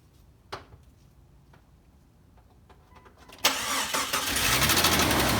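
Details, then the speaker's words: 2001 Jeep Cherokee XJ cold start on a ~72°F day, about a week after adding Engine Restore for a suspected lifter tick: a few quiet clicks, cranks and catches, perhaps one knock then steady even running. "so you could hear it knock like maybe once right when it started up but it immediately goes away"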